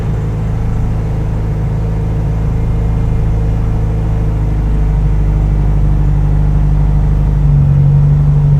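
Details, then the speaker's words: 1996 Nissan 200SX SE-R, sold as spun bearing, no coolant, new battery, in neutral: even low idle rumble then brief rev rise, no knocking heard; engine runs smoothly. "oh no it sounds good there's no there's no lights on"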